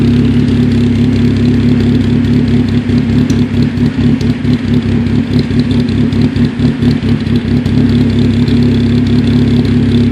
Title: Cobalt SS rough idle